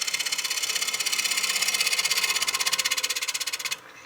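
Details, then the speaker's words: Wood lathe at about 950 rpm, scraper truing the back of a kiln-dried cherry blank 2 in thick and 13 in round: hissy, fast rhythmic chatter pulsing with each turn because the blank is out of true, then it stops. "You can hear it chattering across the surface. That's because it's out of true."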